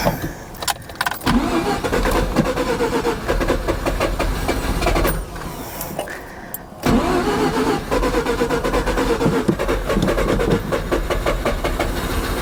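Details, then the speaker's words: 1988 Mazda RX7, 1.3 L 13B twin-rotor rotary, sat 10+ years, ether sprayed into the intake: starter churns, then uneven catches and brief pops as it kicks. Coils seem good, spark unconfirmed; fuel suspected as the fault. "So, she's kicking. She's definitely kicking. Um, which tells me the coils are good."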